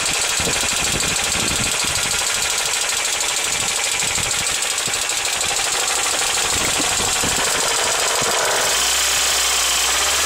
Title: Mercedes C200 W202 -96 knocking noise